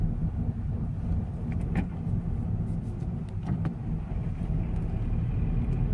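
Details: Rattle from the engine of a Scion FR-S: deep, steady engine rumble with a few brief metallic rattles breaking through.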